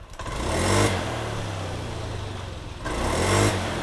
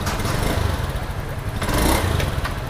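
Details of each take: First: Honda Scoopy scooter after replacing the ignition coil for hesitation on initial throttle; three quick throttle blips rising cleanly and falling back to even idle without stumbling, fixed. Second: Honda Scoopy injection scooter stumbles and limps when throttle opens at initial pull; fuel pressure 40.3 psi, injector, air filter and plug already fine or replaced, ignition coil suspected and tested next.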